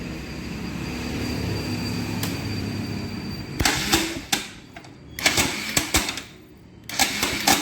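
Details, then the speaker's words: Bajaj Pulsar NS 200 on self-start: starter whirs, then sharp, irregular clattering bursts each press, engine never starts; fault is the slipping starter one-way clutch, found by opening the magneto cover. "దీని problem ఏందంటే self కొడితే self sound వస్తుంది self start అవ్వడం లేదు"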